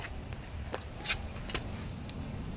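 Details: After the worn, noisy spherical bearings were replaced with new ones on BP51 shocks, the vehicle is rocked on its suspension. Only a low rumble and a few soft knocks are heard: no squeak.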